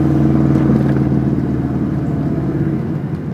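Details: 2006 Subaru WRX, loud quick tapping around 1500 RPM under light load over the flat-four rumble, gone above 2000 RPM; engine burns much oil, possibly run low; owner suspects rod knock, unconfirmed.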